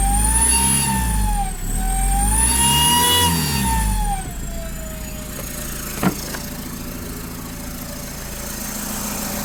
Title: Common rail TDI turbo failure